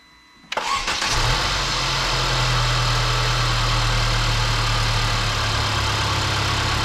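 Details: 2018 Mercedes C300 that lost fuel mileage, just after its 50k-service spark plug replacement: starter catches within a second, then a smooth, even idle with a steady low hum; normal idle.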